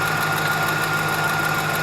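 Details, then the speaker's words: 2004 Dodge Dakota 4.7L V8 idling during repeated start-ups with engine flush additive: light, fast hydraulic lifter tick under the hum, now fading within about 30 seconds. "it seems to be uh getting less and going away faster so I'm just going to keep doing it over and over until um the ticking stops"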